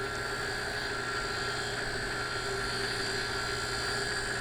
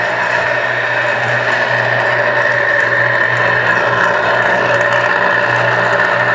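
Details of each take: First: Dão 16 HP lift water pump after bearing replacement running smoothly with a steady hum and even motor whine, no grinding or rattle, sounding like new. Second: Dancor 1/6 HP booster water pump motor running: loud rough raspy whir over steady hum, infernal noise from worn bearings; fix by replacing bearings.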